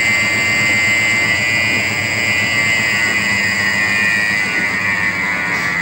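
Steady high-pitched whine over a rough low hum as the motor runs, typical of worn drive motor bearings.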